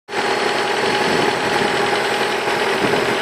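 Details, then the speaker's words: Mazda 6 engine at idle: dense, hard continuous rattling knock from the bottom end; suspected, then confirmed, disintegrated connecting rod bearing shell; rod knock. "Mazda 6. Предположительная причина — разлетелись вкладыши."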